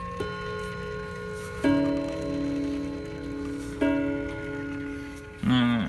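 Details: Hammond electromechanical mantel clock after servicing, unplugged with the mainsprings slightly under-wound. Clear bell strikes every couple of seconds over a soft, steady tick show the chime and movement working normally.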